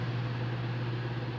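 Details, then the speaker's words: Electric fan on 220 V at low speed, noisy at speeds 1 and 2 but normal at 3: a constant low hum with a rough buzz under it, caused by a faulty run capacitor. "o aparelho não funciona normalmente faz o barulho em excesso"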